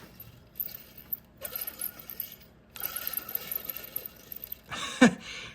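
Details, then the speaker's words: Old alternator removed from 1997 Chevrolet 5.7 (350) gasoline OBS truck, hand-spun: rough gritty rattle instead of smooth whir, worn bearing suspected; the new replacement alternator spins almost silently. "don't think it's supposed to sound like that all right here's the new one can't even hear it"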